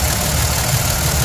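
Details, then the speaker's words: 03-07 5.9 Cummins common-rail diesel just after injector reinstall, valve cover off, lash not yet set: slightly lumpy idle with occasional stumble, a little miss or rough idle; cause unconfirmed, later lash adjustment made it run smoothly. "it sounds like it's got a little bit of a Miss in it maybe not necessarily A Miss but a a little bit of a rough idle"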